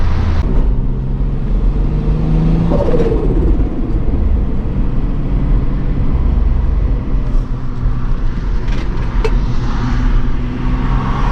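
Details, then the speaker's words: MK3 VW VR6 turbo wagon fitted with a factory VR6 clutch that cannot hold the power; engine still very cold, revs climb and flare under load without matching pull as boost nears 12 psi, clutch slipping (holds in 2nd/3rd to ~3500 rpm, 4th no chance). "there goes the clutch if you drive it at like barely tapping boost it'll hold but the second it starts making like close to 12 pounds game over"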